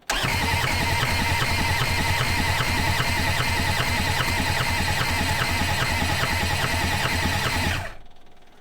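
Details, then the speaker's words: Old Kubota diesel skid steer on a snowy day around 20 degrees, coolant just topped up, cranked on 24 volts with a jumper pack: even chug about three times a second for eight seconds, no start; some smoke, and owner suspects clogged injectors. "i still don't think we're getting fuel down through the injectors and we've got fuel to the injectors but i think that the injectors themselves are still kind of stopped up"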